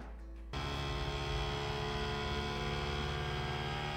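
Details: Creality Ender 3 V3 3D printer running its self-calibration: a loud, steady droning buzz that starts abruptly and holds even, with no grinding or clicks. This is the normal calibration vibration, nothing wrong.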